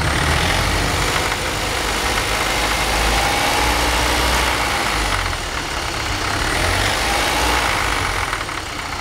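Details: BMW 318i engine with a rough idle: an uneven, wavering rhythm of about three to four pulses a second that never settles.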